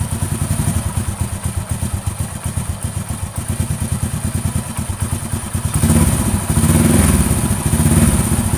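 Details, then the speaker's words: Honda Astrea Grand engine after valve clearance readjustment (rough rhythmic noise was from too-loose valve setting, not cam chain): even idle with small single thumps, then smooth rev; quiet valvetrain, smooth again. Normal idle. "sudah ya ini suaranya sudah halus kembali"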